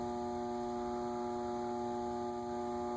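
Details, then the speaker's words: Leading Edge A-60 60-inch cast-iron industrial ceiling fan, reportedly 1985, untouched eBay unit on Grainger control at lowest setting: fairly loud steady electrical hum with clear tones, louder than other fans; it started briefly then stalled. "it's loud it's quite a bit louder than the other ones and you'll see it started for a bit and then it's stalled out"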